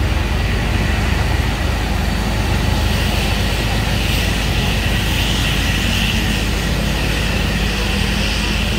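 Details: Isuzu Giga FVZ 285 PS trailer-truck diesel that would not start after rolling over on the Gentong climb, now running after the weak battery was replaced: a deep, even rumble holding steady with no misses, knocks or hunting.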